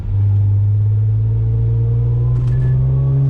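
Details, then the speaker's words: Audi S4 3.0 supercharged with test pipes, after fitting Magnaflow resonated X-pipe: fourth gear, low RPM under load, slight remaining exhaust drone booming into cabin, far less than before; owner suspects small restrictive rear mufflers add drone. "It used to be, it still drones a little bit right there. I'm not gonna say it's perfect, but it's nothing compared to what it was."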